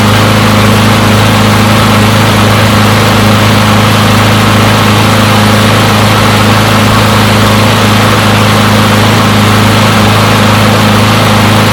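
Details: Push mower from a neighbor who said it wouldn't start; run to warm up after long disuse. Steady, even small-engine drone at constant speed, no misses or surging; runs pretty good; normal running.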